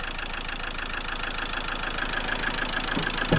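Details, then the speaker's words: Land Rover Defender 110 with replacement Ford 2.2 TDCi diesel, 12,000 miles, smoking badly: idle galloping, uneven and lumpy, engine light on, near-normal when revved; suspected dead cylinder, diesel coming out exhaust. "so we're assuming it's a missing a cylinder it sounds like it's missing a cylinder"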